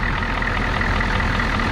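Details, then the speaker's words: Old Ford F-Super Duty 7.3 IDI diesel, cold, fuel system bled, return lines fixed and glow plugs cycled: steady diesel clatter at cold idle with an even rhythm and no misses; runs smoothly briefly before dying, possibly lost prime or out of diesel. "let's step outside and see how smooth it's running it actually runs all right"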